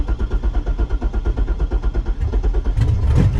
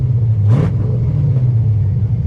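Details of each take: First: Project Corvette engine that probably had ID2000 injectors but now has LS3 injectors: lumpy, uneven chugging about three pulses a second, brief flare, then fades and stalls; won't run or idle with mismatched injectors. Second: Project Corvette engine, warmed up: deep, even, loud rumble revving cleanly with no misses, surging or stalling, no longer shutting off; sounds healthy.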